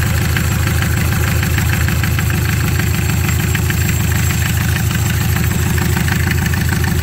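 Steady diesel clatter with even low thumping at idle, no misses or knocks over the drone; sounds like a healthy idle.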